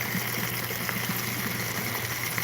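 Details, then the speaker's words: Bell siphon at the end of a grow-bed drain: continuous trickling water with irregular gurgles and slurps as the siphon pulls in air, as it should. "now you can hear it like it's slurping it's slurping as it's pulling air in that's exactly what it should do and then a certain point it's going to slurp enough air in that it's going to stop the draining"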